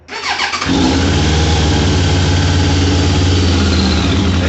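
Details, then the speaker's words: 1998 Suzuki Katana 600 carbureted motorcycle after new petcock, capped feed line and new vacuum line; catches after brief crank, settles into steady even idle with no choke before warm-up; normal start. "let's let it warm up a little bit but yeah everything seems to be all right"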